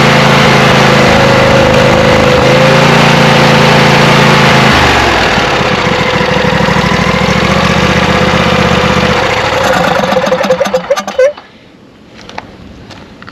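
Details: Craftsman lawn tractor, 24 hp Briggs & Stratton V-twin, possibly stale-gas deposits in carb jet: uneven idle with stumbling beat around four pulses a second, changing and smoothing as brake cleaner is sprayed; misfire, vacuum leak suspected.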